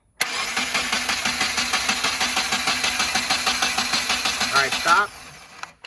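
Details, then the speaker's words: Rebuilt Subaru FA20DIT during compression test on the driver-side bank, cylinder two: steady, even cranking at about three pulses a second for five seconds; about 149 versus 140 on the other side, within the 10% allowed. Normal cranking. "that actually produced just a hair bit more compression than the other side"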